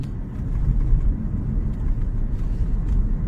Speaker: After such work, the knocking disappeared. Without a sound. No unnecessary movements. The car is stable.